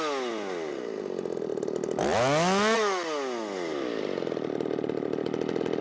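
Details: Ported Shindaiwa 757 chainsaw, 24-in bar, 8-pin sprocket, low-speed mixture leaned out: high revs sag and drop pitch mid-cut then recover; flat-cut muffler mod outlet pressed against the log so it can't breathe.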